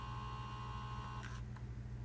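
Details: 2001-2004 Toyota Tacoma air mix servomotor (blend door actuator, part 87106-04010), bench tested after removal: steady low hum with faint high whine shifting briefly near the end; motor runs normally, no failure clicking.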